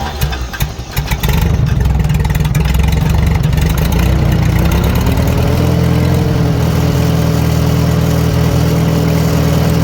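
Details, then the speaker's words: 1940 Farmall H with M&W 9-speed, idling medium-high while timing is set by turning the hard-to-turn distributor; after a brief start-up flutter it settles to a steady even beat, no misses. Timing was a big cause of bad running; carburetor may need going through. "so it's running pretty good the carburetor probably needs G through but I'm going to tell you right now those that timing was definitely a big issue as to why this tractor was running bad"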